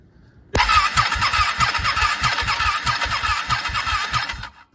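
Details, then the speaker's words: Ducati 1199 Panigale that struggled to crank when cold due to corroded starter solenoid terminals; battery lead connected directly to the starter terminal: starter whirs hard, engine spins at a steady chug with no clicking or hesitation, proving the solenoid at fault. "it straight on there turns over fine so that it proves that it is the solenoid"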